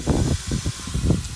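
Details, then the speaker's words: 1972 Jeep CJ5 (AMC) after trail driving at about 25 mph in sand: steady coolant hiss over low bubbling thumps; radiator half empty of coolant, pumping air, overheating and boiling over; engine still runs, needs new radiator and fan. "Hear it hissing in there. We're really close to the truck though, so we'll be all right. We're gonna let it cool down one more time."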